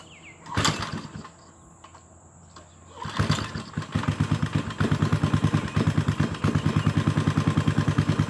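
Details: Briggs & Stratton 5 HP single-cylinder go-kart engine, cold start after sitting, carburetor cleaned, old fuel removed, linkage and mixture adjusted, choke used: starts after a couple of pulls, settles into a steady regular thumping idle about three beats a second.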